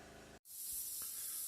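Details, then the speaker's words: Steady high, airy hiss after a short hum as a TIG weld heats a badly corroded aluminium flange, moisture boiling out of the rotten aluminium, worse in winter when the metal is cold. "спеціально зупинився щоб ви почули такий шум шипить Тобто виходить волога з алюмінію щоб підняти фланець"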